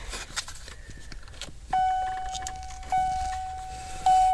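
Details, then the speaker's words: Early Fox-body Ford (1979) warning chime swapped in to replace the loud buzzer, with its low volume fixed by putting paper inside the chime case; three loud, clean tones about a second apart, each fading evenly at proper volume. "check that out so just by putting some piece of paper in there man you know what that works"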